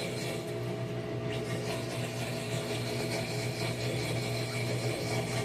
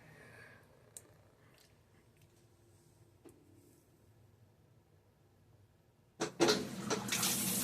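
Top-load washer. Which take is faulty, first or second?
first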